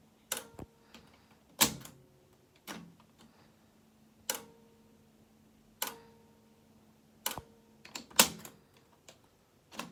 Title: Cassette deck weird noise